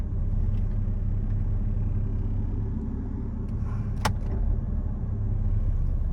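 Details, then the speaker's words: Mercedes S600 V12 idling just after starting: a deep rough growl that swells when the power steering pump loads the engine, as the motor mounts resonate through the car's frame. Worn engine mount vibration under load. "The motor mounts are resonating through the frame of the car. See if you can hear that. Can you hear that growling? Listen. Even just when I put more load on the engine through the power steering pump, you can hear it."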